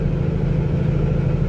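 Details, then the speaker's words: Semi truck with Cummins diesel at about 80,000 lb climbing a steep grade on I-80 near Laramie at about 1500 rpm, heard through the dash cam: deep, steady, even diesel drone, healthy and unstrained; normal engine under load. "the dash cam, but it just sounds good. You know, it's not too low, not too high, just a nice sweet sound."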